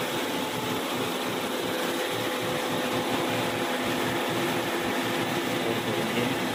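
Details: Genesis: steady coarse grinding rush held evenly while driving; differential grinding suspected, not confirmed.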